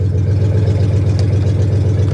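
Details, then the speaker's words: Salvage-auction 1982 Chevy Camaro Crossfire V8: deep, loud, steady idle rumble with even beat and no misses, runs great; loud exhaust because the catalytic converters were cut off. "oh someone cut the converters off of it well that's nice it runs yeah it runs in fact it actually runs great"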